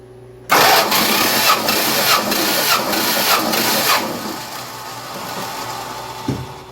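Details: 1974 Plymouth Duster engine cranking during a compression test, plugs out, a few squirts of oil added to the cylinder; even cranking at about two and a half beats per second, no compression hum; about 142 psi read, normal cranking.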